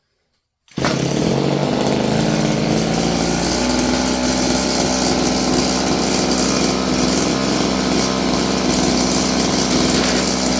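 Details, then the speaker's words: Roughly 30-year-old Stihl FS56 curved-shaft two-stroke trimmer buzzes steadily at high revs and never drops to a slow idle. It won't hold idle; the carburetor is suspected to need work. "So that's idle, yet it doesn't idle. So let's try this again."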